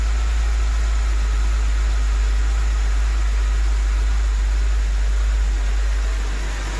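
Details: BMW 325i engine reassembled after a stiff, poorly lubricated camshaft let the VANOS cam rotate out of timing, Valvetronic refitted and set: deep low rumble holds steady without misses or ticking, settling into an even idle.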